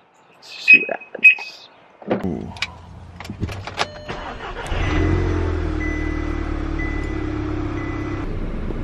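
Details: Audi TT after fitting all new spark plugs and one new ignition coil for a misfire: the starter cranks briefly, then the engine catches and settles into a steady, even idle with no stumble; no fault codes afterward.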